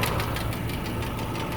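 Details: 2008 Subaru Legacy 2.5i Limited idling, light rapid tick from the passenger side keeping pace with engine speed; check engine light with misfire code P0303 (cylinder 3), cause unknown, owner wonders about rod bearing, lifter, valve adjustment or timing.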